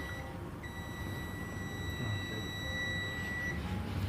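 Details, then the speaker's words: Samsung A23 (SM-A235F/DS) with a restart fault: multimeter in diode mode, red probe on ground, black probe on a capacitor above a coil on a VREG/LDO secondary line to the Bluetooth/WiFi IC. A steady continuity beep for about three seconds shows the cap is shorted to ground. "तो इस तरह से जब मैं check कर रहा था तो ये केप दोनों साइड मुझे ग्राउंड के साथ क्या दिखने को मिला, बीप आया।"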